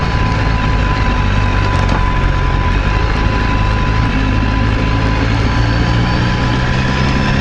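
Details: BMW S1000RR engine with light, quick tapping over a steady note: rocker-arm clatter from a worn camshaft that leaves a gap between the rocker arm and cam. A camshaft replacement is required.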